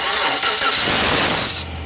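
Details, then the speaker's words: 1999-2006 Chevy Silverado 1500, recorded under the truck at the starter. Harsh, gritty grinding during cranking before the engine catches; the owner reports a grinding noise on every start and replaces the starter. "it's been making a funky grinding sound when i start it here is the sound"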